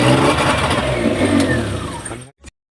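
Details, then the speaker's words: Maruti Omni after fixing the spark plug cables: starts on the first crank and revs cleanly with even firing, no misses; running healthy, no-start fixed. "देख सकते गाड़ी start हो चुका है एक self में गाड़ी स्टार्ट है"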